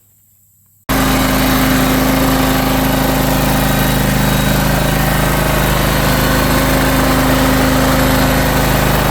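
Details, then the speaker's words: John Deere X540 riding mower after 20 years of neglect, after carburetor cleaning and rebuild with new parts: the engine catches and holds a steady, even idle. Before, it was hard to start, needed full choke and hunted up and down. "And so that's about it. I mean, now it runs smooth again."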